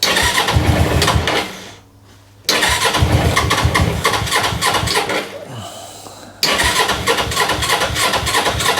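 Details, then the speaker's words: GS engine just started and still warming up, choke off: uneven, lumpy running that sags and nearly stalls twice before catching. It won't take revs or idle cleanly off choke. "It just don't like any revs. It don't like the choke off at the minute."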